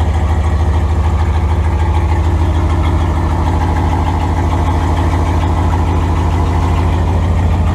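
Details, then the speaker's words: 5.2L Dodge Ram turbo build at first fire-up, exhaust only tack-welded: loud, deep idle with fast rhythmic puffing about three per second as exhaust gas escapes at the loose tacked joints, an exhaust leak. "well it's really loud we're really tired and there is quite a bit of exhaust leaking going on cuz it's just all tacked on us"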